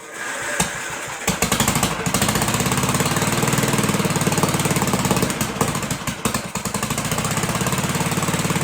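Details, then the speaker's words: 1958 Gravely Model L single-cylinder, first runs after sitting about a year, needle valve opened, choked, throttle not yet hooked up: fast, uneven thumping, missing and surging; rough running, big hole in the muffler, little smoke. "But it did run. Sounded pretty good. It's got a big hole in the muffler."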